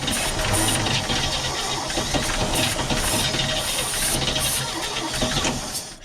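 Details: 1963 Chevy pickup barn find revived after 26 years with new points, plugs, wires, condenser, battery and cleaned carb, fed from a small separate tank: ragged uneven firing with hissy sputtering, fading out; rough running, cause unconfirmed.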